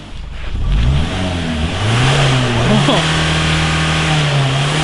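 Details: Mitsubishi Carisma diesel overfilled by a few litres of engine oil: revs climb then hold at a high, steady scream with no throttle let-off; diesel runaway burning the excess oil.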